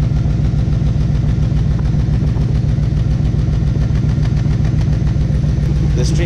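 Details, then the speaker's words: LT1 V8 Trans Am daily driver at idle with a stock cam, which should idle smoothly: a deep idle with a lumpy stumble three or four times a second, a cylinder misfire. "the stock it should have been smooth not this sound so that's a misfire right there"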